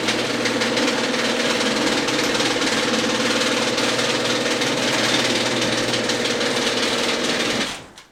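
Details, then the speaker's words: Genie screw-drive garage door opener, 32+ years old: steady drone with uneven tuck-tuck clicking about four per second starting halfway through opening, not when closing; owner suspects worn carriage, stripped gear, track or screw, unconfirmed. "I think the noise started when is halfway and suddenly you have some tuck tuck tuck tuck tucks like that"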